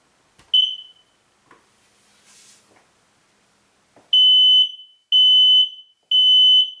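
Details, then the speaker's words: Newly installed hardwired smoke alarm about 11-12 feet up, breaker restored, test button pressed: a short chirp, a voice saying "fire", then three long shrill beeps; normal self-test after reset. "Okay, that just said fire. Did you hear it? And then at the last it chirped. I know it's all reset because that's just a smoke alarm and that's it."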